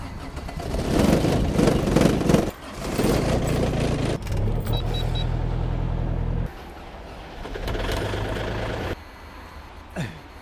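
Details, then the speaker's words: Kubota small diesel tractor in cold-weather start test after snowfall: slow, uneven cranking that sags and stops in bursts, never catching; fails to start. "so I can't get this one started so we're going to have to call it quit"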